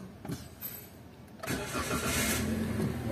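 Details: 2018 Toyota Avanza petrol after fixing crank-no-start caused by mismatched keys/immobilizer, original key restored: engine catches at once on one click and settles into steady idle, no check engine light.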